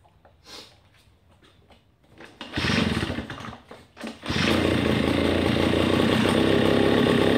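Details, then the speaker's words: Redmax EB7001 leaf blower, rebuilt after a seized engine with a new piston and cleaned carburetor. Cold start: a few pull-cord tugs, then it settles into an even, steady idle with no misses. Healthy normal idle. "well there you have it we have a good fully functioning blower motor and it was a cold start that's why I ended up taking about two more cranks but other than that sounds nice perfect it idles great"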